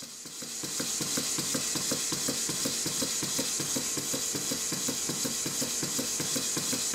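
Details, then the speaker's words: Stuart beam engine under restoration, run on compressed air with valve timing not yet reset: light regular knocks about 160 a minute over a squeaking hiss of air blowing past the steam chest gasket; knock source being sought. "so the engines are knocking as usual the funny noise you can hear the squeaking noise is air blowing past the gasket"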